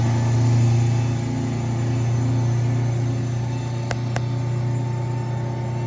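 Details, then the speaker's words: Eagle bus climbing Appalachian grades: deep throbbing drone like an unbalanced tire, only under throttle above about 25 mph, no power loss, began after descending on Jake brakes; caused by worn drop box bearings. "Well, I've got about 2 miles down the road and the sound is still there. It's almost like a tire, like an unbalanced tire sound, but it only does it when I'm in the throttle and only once I get over about 25 miles an hour."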